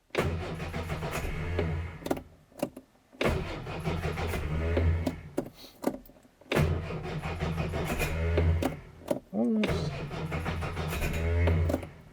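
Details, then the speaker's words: Plugs 1 and 2 could not be removed, and it may be too rich after last running on choke; long cranking bursts with one cylinder occasionally catching but never running; cranking with one cylinder firing. "so i'm gonna see if we can get a running on one and it'll bring the others into life"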